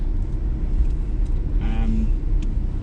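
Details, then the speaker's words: BMW E82 118 diesel rolling slowly and braking gently after the front right brake squeak fix: low road rumble, with no brake squeal left. "Gently breaking. That noise has gone now. That annoying squeak."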